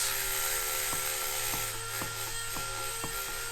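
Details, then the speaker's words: Tillotson racing mini bike engine rebuilt from 225cc to a 236cc stroker (72mm piston, 58mm crank, billet head) after dirt ingestion: turned slowly by hand with side cover on, sharp ticks about every half second as the rotating assembly hits the cover in two places, needing clearancing. "Well, we got some hitting. In multiple places. In 2 different places that we found."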